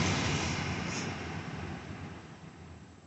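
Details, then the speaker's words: C7 Corvette (2005-2019 fit part), new replacement blower motor just installed after the old one kept sticking and needed beating to run: steady airy fan rush, smooth with no rubbing, ticking or squeal, easing off gently; possibly louder but blowing harder than before; normal blower operation. "Actually, I think it might be louder than it was before, but blowing harder than it was before."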